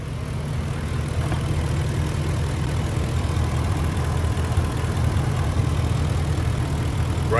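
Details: Ford F-150 5.4L 3V Triton with P2195/P2197 stuck-lean codes, intake vacuum source capped off during diagnosis: deep, even V8 idle with a steady low rumble, no stumble or hiss; fuel trims self-correcting, running smooth.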